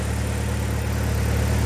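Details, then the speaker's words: BMW 116i E87 N45B16 1.6L petrol, cold, just after replacing both VANOS inlet and exhaust cam timing adjusters to cure a top-end rattle: smooth, quiet idle with even low hum, no rattles; oil pressure 75. "Okay. So, my feeling is that it is quieter."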